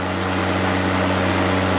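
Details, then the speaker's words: 1991 VW Vanagon whose radiator fan had been stuck running on high, fixed without replacing the thermal sensor. The fan now runs at low temperature and low speed with a steady, even hum and soft whir, no rattle or rubbing. Normal low-speed fan. "now when I turn on my fan you can hear the radiator so it's working properly let's go outside and look at the radiator foreign at a nice low temp low speed"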